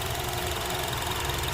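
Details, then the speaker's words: Honda CR-V 2.4L K24 after valve clearance adjustment, warmed up for 10–15 minutes: smooth, steady idle with an even low rumble and no top-end ticking or tapping, only slight vibration. Noise fixed, normal idle. "It's just a normal engine running, so it's quiet. This is confirmed. It's a fix."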